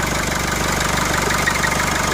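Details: 2003 Nissan X-Trail diesel that cranked with no glow plug light and wouldn't start: after the fix the glow plug light returns and it runs with a steady, even diesel clatter and no misses or hunting. Normal idle.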